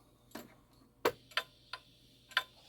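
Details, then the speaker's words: Shanghai 555 pendulum clock after new suspension spring and pallet depth adjustments: tick and tock unevenly spaced, one gap clearly longer, scraping heard; out of beat, timed at 7,188 beats per hour versus about 7,200. "Ooh, we're still out of beat. We're still out of beat. Not bad, though."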